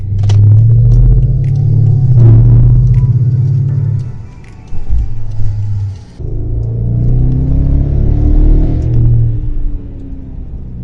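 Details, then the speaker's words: BMW 550i with N63 twin-turbo V8 and JB4 tune: lumpy, uneven idle stumbling about four times a second, misfiring with drivetrain malfunction warning. "Drivetrain malfunction, and you can hear it's misfiring."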